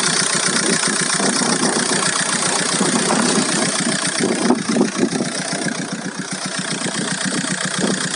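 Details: VW Golf 4 1.9 TDI 115 4Motion diesel at idle: steady clatter with some uneven knocks riding over it; owner hears a strange engine noise, source not yet pinned down.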